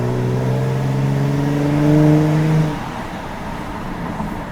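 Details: Car driven at about 40–45 km/h in dynamic mode with exhaust valves open and window down, then floored: a clear engine note climbs smoothly for about three seconds and eases off when the throttle lifts, giving a healthy, even exhaust under acceleration.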